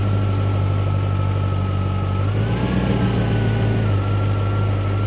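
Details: Jaguar XK8 V8, just revived from a no-crank, no-start condition with many error messages, battery at 12.8 V. A deep, steady idle with an even low hum and a faint constant whine, settling and running smoothly.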